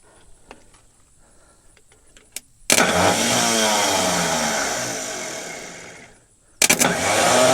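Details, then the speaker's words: Scrapyard diesel forklift: a high starter whir spins up for three seconds and coasts down without turning the engine, the drive shaft not throwing out to engage the flywheel; starter possibly faulty. "tệ thật, nó chắc chắn chỉ đang quay nên có vẻ như trục không thoát ra và không ăn khớp"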